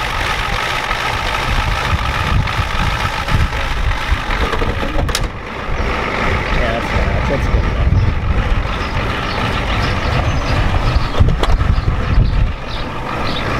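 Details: 1993 Ford F-250 7.3L IDI diesel, new injectors, started after sitting since Monday; loud heavy lumpy idle, uneven low thumping, smokes heavily; injection pump confirmed out of time, not yet adjusted.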